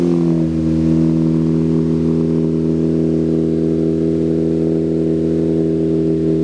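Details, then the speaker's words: Ford Focus ST with freshly built swapped engine (balance shaft delete, oil cooler, Comp Cams break-in oil) during break-in, held around 2,500 rpm to seat rings; smooth even steady hum, no knocks or ticks; healthy. "If you can hear me, but this car sounds amazing. But what we're doing right now is we're doing the break-in process."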